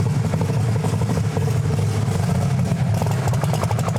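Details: Camaro with an almost 2,000 hp engine, timing cut by 6 degrees and some boost added: deep, steady roar holding strong under full load with no stumble, popping or misfire before an early lift; normal full-power pull.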